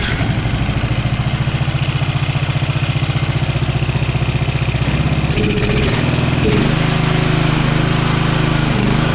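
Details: Free Craftsman riding mower after swapping out a flooding carburetor and a minor air-fuel adjustment, air filter and box not yet fitted; steady low putter about four beats a second with a faint mid-clip speed rise and fall, runs well, slight surge.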